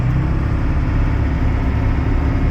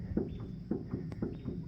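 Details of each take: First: Turbo diesel pickup with air conditioning hauling an auction McCormick-Deering 10-20 tractor: a steady, deep drone pulling under load, rising as speed builds. It holds speed up hills, losing only a little. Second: McCormick-Deering 10-20 tractor with seized, bone-dry engine: dull regular clunks about twice a second as the fan is rocked, the stuck crank shifting slightly; seized engine.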